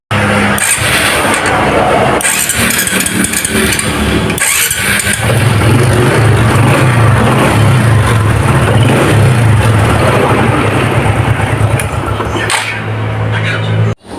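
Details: Honda Karisma being diagnosed for starter problems, with the starter motor refitted and a new starter bendix: starter spins briskly and the engine turns over with a steady, even low chug; the starter drive is engaging properly.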